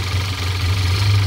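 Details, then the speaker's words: 2014 Audi A4 2.0 turbo after the repair for P0171 lean at idle and misfire: smooth, even low idle hum with no stumble or shake; misfire gone. "and we see the problem is gone [Music] there's no more"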